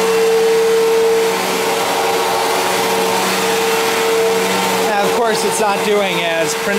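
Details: 1999 Fantom Fury vacuum: steady mid-pitched whine over motor drone, cutting in and out occasionally, sliding down as it winds down; sounds wrong at start and shutdown, owner suspects bearings or failing suction motor.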